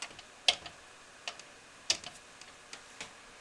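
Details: Laptop hard drive that is not detected: sharp dry clicks about one a second as it fails to start, tested before cleaning the contacts on its control board.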